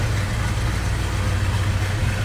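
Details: 1969 Chevrolet C10 with a built 327 V8 and Sniper fuel system: deep, even burble at warm idle with a steady low rumble and no knocks or misses; normal, healthy idle.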